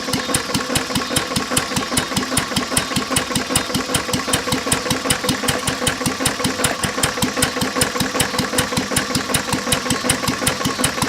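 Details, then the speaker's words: English Lister throttle-fed single-flywheel engine, circa 1920–30, set to a low idle, also with a cracked block letting water into the oil: slow steady thumping, about 2.5 beats per second, with a hard metallic knock each beat. Worn rod bearing, rod knock. "that was our liser I mean besides the rod knock and in need a paint it actually is a good running motor"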